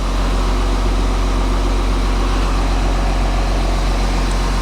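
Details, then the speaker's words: VW Touareg diesel, first start after the sump was refitted, with no coolant or power steering fluid: steady, even idle with a smooth low rumble and no knocks, misses or rattles; revs a bit lazily; engine sounds healthy. "I didn't expect it to start so quick, I'll be honest. It sounds spot on, that actually. Spot on."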